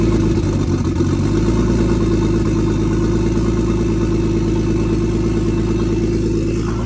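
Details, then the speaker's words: Nissan R33 Skyline GTS-T RB25DET idling after repair of rotary-like sound (bolts checked, reassembled): smooth steady six-cylinder idle, even low drone, no lumpy uneven beat; running properly. "We completed it. That's how a Skyline sounds. Supposed to sound anyway."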